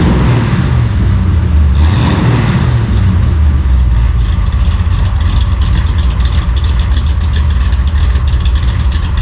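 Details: 1955 Chevy V8 with newly installed home-built dual exhaust gives a deep, even burble rising with each throttle blip, with no ticks, rattles or leaks. It is healthy and mellow, maybe a little quieter than hoped.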